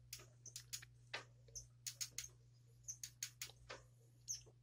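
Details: Mongoose Standoff 26" mountain bike: rear brake set too close to the rear tire, rubbing with sharp irregular high chirps as the wheel turns, adding resistance and reducing speed.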